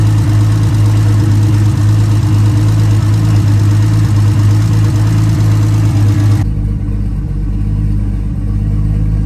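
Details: Nissan R32 RB20 straight-six, first start in 3 years, open downpipe with no exhaust: loud, deep, steady idle with even firing and no knocks or ticks; engine sounds healthy despite earlier concern, normal idle.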